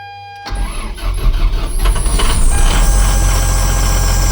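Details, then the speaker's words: Ford F750 Cummins common-rail diesel that sat for years, first crank on a jump box; it catches, then a shrill belt squeal rises over the idle with a burning smell and the stop engine light on, from a seized alternator pulley. "We got something squealing. Sounds like we got a belt. Probably going to pulley. Yep, I can smell it. I got a pulley that's froze up."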